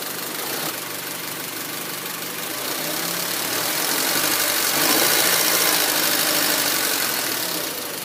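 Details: 2004 Honda Civic LX (7th gen), warm engine at idle: uneven, lumpy idle with faint rhythmic pulse and hiss; rough idle at low rpm with stalling and hesitation, O2 sensor suspected, not confirmed.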